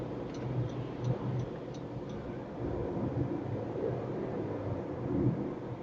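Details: 2017 Honda CR-V Turbo (CVT) cabin while driving: constant low roar rising and falling with road surface, no engine knock or whine; heavy tire road noise entering cabin, louder on concrete toll roads.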